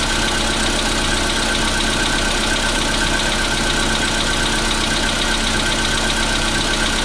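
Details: 2015 Volkswagen Polo Sedan, CFNA engine, cold start at 0 °C air temperature: a cold idle with a dense, busy clatter and loose, uneven tapping over the engine note; cold-start knock, cause not pinned down.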